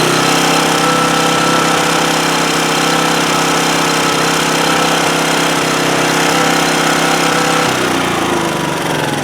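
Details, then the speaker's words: 2008 Homelite HG1800A 1800-watt generator after carburetor cleaning: fast, uneven buzz whose note shifts with choke changes. Runs best at half choke, so it runs lean from restricted fuel flow through the carburetor. "well what I was what I was trying to demonstrate there is it's running best at half choke and so that's telling me carburetor is not the fuel flow through that carburetor is not really adequate even though we we cleaned it pretty thoroughly"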